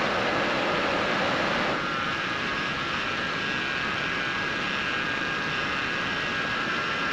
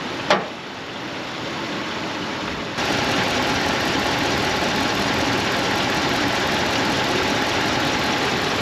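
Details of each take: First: Gen 3 Dodge Ram with LPG and 105,900 miles, just after its power steering pump was replaced; a steady high whine over a smooth engine hiss. Quieter than before, but the power steering pump still whines. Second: Gen 3 Dodge Ram pickup on LPG, 105,900 miles, after a new power steering pump cured a pump noise: a smooth, even idle with a steady hum and no whine or groan; running healthy.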